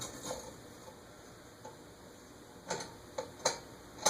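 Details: Eagle Grand Duchess retractable-blade ceiling fan running with blades extended: light uneven ticking, one or two a second, over a quiet hum; the noise comes from the motor, not the blades, and a loose bearing is suspected.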